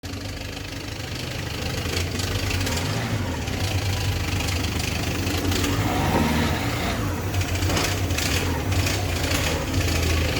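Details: Peugeot 206 1.4 HDi diesel running with an uneven, loose, loud knocking at the front of the engine over the diesel clatter, traced to a damaged crankshaft pulley.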